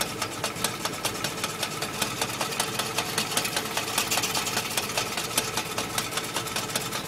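Fast light metallic rattle, a few clicks each second, riding over a steady idle: a rattling clutch.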